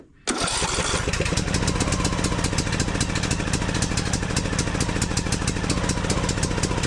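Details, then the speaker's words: John Deere D110 mower that shut off after 10 minutes, after clearing the blocked fuel line and changing the fuel filter, cranked on choke: brief crank, then it catches and runs with a steady, even rhythm. Fuel pump fine. Normal cranking and start. "Let's go ahead and give it a choke, and let's crank it, see how long it takes for that thing to start spitting fuel up there."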